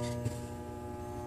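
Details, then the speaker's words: AM radio receiving a low-power transmitter: a low steady mains hum buzz with a faint tone ladder, which gets louder or quieter as the radio is rotated; mains-induced hum cured by finding a hum-free position. "so the idea really is to actually try and find the best position of the transmitter on the radar where you don't get the hum so here loud hum turn the radio around slightly"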